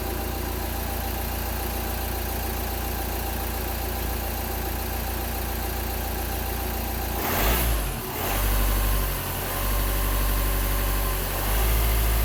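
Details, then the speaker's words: Seat Exeo diesel (platform shared with Audi A4 B7, VW Passat B6, Skoda Superb Mk2) after fixing DPF blockage and pressure sensor faults P2453/P2452/P2002: idles evenly, clean rev and return to steady idle; engine management and DPF lights now off. "Hoping you can hear me okay because the engine is running, but as you can see clearly here on the dash, the engine management light went off and no more exhaust light."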